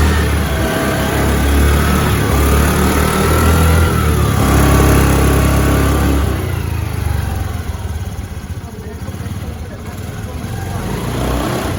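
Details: Scooty scooter kick-started after a cold no-start, then revving: small engine revs up and settles in smooth, even bursts, no knocks or misses; running cleanly.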